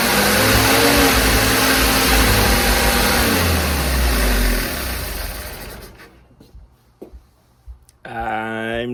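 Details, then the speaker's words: 1952 Jeep CJ5 with a rebuilt engine, new Daytona universal carburetor, coil, plugs, wires and distributor, after timing work: it hangs at a raised fast idle for several seconds, then dies away, and the owner suspects the throttle is sticking open. "Sounds like the throttle is sticking open."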